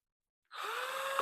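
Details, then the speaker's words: Cordless drill in very cold weather, on a rebuilt battery pack possibly NiCd: short low whir that climbs only a little and stays sluggish; weak cold battery, slow drill. "always finding the very cold weather this just gives up the ghost uh it runs on I think this might have Nik cads in it"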